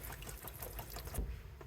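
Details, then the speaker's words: 1971 MGB GT, 18,000 miles: after carb cleaning with float chambers and dashpots refitted, the electric fuel pump ticks quickly while pumping fuel into a container; more fuel than before, delivering normally. "Well, that's a bit more fuel than there was before. Let's let it just pump through for a sec."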